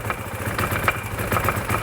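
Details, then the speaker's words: Vespa/Piaggio MP3 250 run out of oil, drive belt disconnected, idling: sharp metallic knocks about four per second over the putter; rod knock, and the engine locks up at speed. "you can kind of hear the knocking on it and it's easier with hear that [Applause] so that's a rod knock that specific noise right there"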